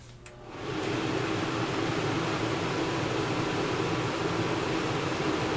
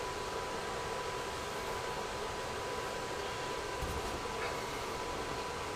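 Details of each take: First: RV with a Dometic single-zone digital thermostat, furnace on with the fan set to high: steady fan rush as the AC fan runs along with the furnace; setting the fan to auto shuts the AC fan off. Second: RV furnace controlled by a Dometic digital thermostat, AC fan now off: steady, even blower hush with a faint constant tone and no knocks; furnace running normally, and it runs on briefly after being switched off.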